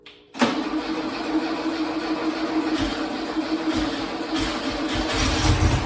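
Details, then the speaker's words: Freshly built engine in a 1972 VW Bug, start in neutral, wiring temporary: it catches immediately and settles into a steady, slightly lumpy air-cooled idle with no knocks or misfires, a healthy engine. "That sounded like a bug engine though, didn't it? That's always Gives you a little sigh of relief there when you actually hear it run."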